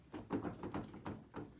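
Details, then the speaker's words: 2018 Polaris Sportsman 850: dull clunks about three times a second as the handlebars are rocked, the steering shaft moving up and down in and out of the front diff; owner suspects a worn bearing or bushing where the shaft enters the diff. "if I had a camera underneath there right now you would see the shaft literally moving in and out of that front diff so that means a bearing or bushing"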